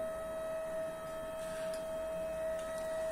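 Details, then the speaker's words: Homemade peristaltic pump for thick mash: a constant mid-high whine at one fixed pitch from a cheap stepper driver at low speed. A pricier driver is said to be quieter, and higher speeds run quieter. "Возможно они не такие будут шумные как вот этот драйвер Но для работы я думаю насоса приемлемые"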